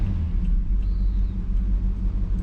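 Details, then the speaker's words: Engine started after fixing a part with stripped teeth that made it start and die: low heavy idle with slightly uneven loping beat; owner suspects timing and carburetor, rough idle. "A little bit of timing, a little bit of carb. I don't know, it just don't sound quite right."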